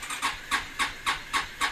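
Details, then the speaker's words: 2016 Yamaha XMAX 250 scooter that had sat outside for a while: about four hissing compression puffs a second as the starter cranks at length before firing; owner notes hard starting, excessive vibration and clutch judder on pull-away. "geldi Niye bu kadar geç çalışıyor motorumuz da aşırı bir titreme var"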